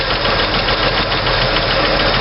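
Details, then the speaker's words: 1964 Chevy II with hydraulic lifters, valves adjusted with engine running; loosened rocker clatters, then tightened past zero lash with a bit more preload so the clack goes away, steady quiet valvetrain idle. "and it goes away a little bit more for preload on the uh hydraulic lifter"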